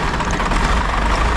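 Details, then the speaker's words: 1949 off-road rollback truck project with diesel engine, first start after radiator install, fuel solenoid held up: steady, deep, even rumble with no knocks or misses; runs normally, though a few leaks, possibly power steering pump line. "well she runs she's got a couple little leaks here and there we got to deal with"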